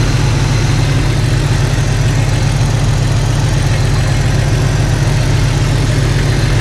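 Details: Jeep Cherokee XJ idling after swapping in refurbished 4-hole injectors to replace cracked ones; low steady idle holding constant speed, no stumble or tapping, nicer and quieter than before.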